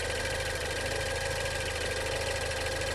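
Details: 2016 Range Rover Evoque at idle during pre-purchase inspection: faint, uneven light clicking about once a second over a steady idle; top-end tick of unknown cause, inspector unsure if it is normal.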